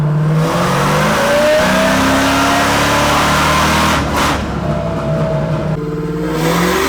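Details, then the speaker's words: 1991 Camaro convertible with supercharged LS9 and 4L80e on a third-gear pull after switching from MAF to EQ airflow. The engine note rises strongly under load, then suddenly drops off around four seconds and stumbles back. This was a fuel cut, found to be a leftover speed limiter. "So it looks like the car went into a little bit of a fuel cut or limp mode."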